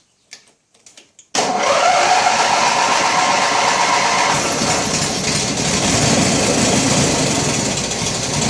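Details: Original 16 hp Briggs opposed twin on an 1980s Turf Master lawn tractor, no repairs since new, cold start at about 23–24°C on choke, out of gear: a few clicks, then it catches at once and settles into a steady, even run; healthy cold start.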